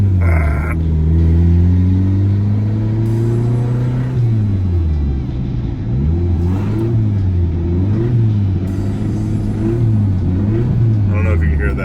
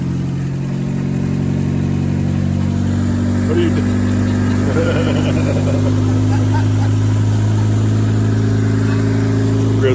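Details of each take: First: 2000 Honda Civic EX D16Y8, 5-speed, about 185,000 miles, turbocharged: as revs rise and fall a dull knock follows engine speed, a spun rod bearing; fix is replacing rod bearings. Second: 2000 Honda Civic EX D16Y8 VTEC turbo build, about 185,000 miles, after rod bearing replacement for a spun bearing, fresh synthetic blend oil: smooth, even idle with no knocking or tapping; normal idle.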